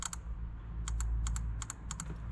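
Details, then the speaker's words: Honda with cylinder two not firing: an injector, removed on the fuel rail, tested before swapping: crisp sharp clicks in quick pairs over a low hum, injector works normally. "Okej, szyna jest wyciągnięta. Zanim je zamienimy, sprawdźmy szybko czy w ogóle działają."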